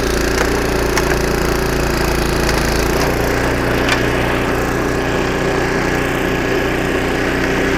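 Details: Snowblower about 25 years old, single-cylinder engine after carburetor rebuild with carb kit and new needle and seat: steady even drone under load with snow scraping and crunching; normal running after repair.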